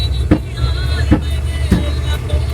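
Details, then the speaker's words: GMC 3500 truck with a newly welded straight-pipe exhaust, driving: loud sharp pops about every half to three-quarter second over an uneven engine note, misfiring and backfiring; it had stalled about three times. "But dude, the backfire, I don't think I'm gonna make it. I'm gonna try to be positive about this, but it's popping way too loud."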